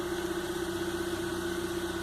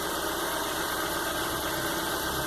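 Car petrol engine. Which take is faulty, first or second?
first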